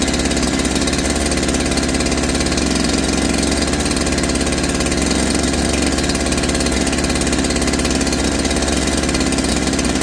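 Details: Holzfforma G372 chainsaw (Farmertec clone), first start after crankshaft seal replacement for a factory air leak that kept it from tuning, chain off, choke off: steady high even two-stroke buzz holding pitch without surging or stumbling, unlike the erratic running before.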